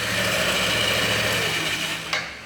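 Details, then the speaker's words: Yamaha NMAX that came in with a strange engine noise, running after the throttle body was cleaned: a small single-cylinder scooter idles smoothly with an even buzz and steady CVT hum, no knocks or rattles, sounding round and normal. "então levamos o corpo de injeção e ligou a moto o barulhinho redondo né"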